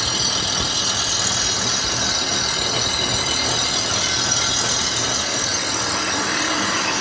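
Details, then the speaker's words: Dual Express grinder sharpening reel of a Toro Greensmaster Flex 21, adjustment handles turned about ½ inch each side: continuous high, hissing grind with light scraping rhythm and no gaps; stone contacting the reel evenly, even spark across. "I turned them about a ½ inch on each side, and you can hear the noise change."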